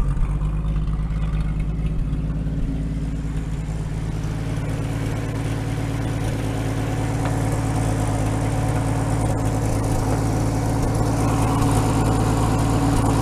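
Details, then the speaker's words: 1950 Chevy that sat outside for 21 years, running with its fuel pump fed from a gas can. One fuel line is missing its clamp, and the old engine purrs at a steady, even idle with no misses, so the fuel pump works. "but look at that oh my god look at this thing it's just purring"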